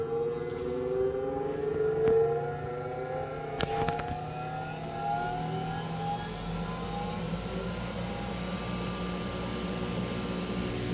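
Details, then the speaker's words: Odiz No Go grinder safety stand, 240V unit tested at 120V: the motor winds down after stopping, then sharp clacks as the brake system engages and slows the wheels. The brake is not yet fully adjusted. "maybe stop it. You can hear the brake system kick in."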